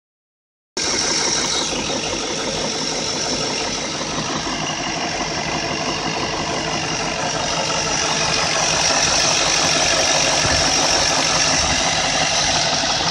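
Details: BMW E38 with M62 V8 at idle: steady idle with a light, fairly regular ticking knock about three per second over a thin, rattly top end; VANOS unit knocking.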